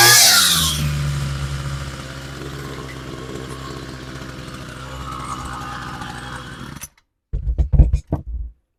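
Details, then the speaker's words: Homelite 26cc UT26CSEMC string trimmer after fresh fuel and replacement of bad fuel lines and diaphragm, choke at full: a sharp two-stroke buzz easing to a smooth, even run before shutdown. Normal running, no longer running poorly. "All right, sounds pretty good. So that was all it really was. I mean, I probably could have got away with using it. It was running pretty crappy, but I probably could have used it like that."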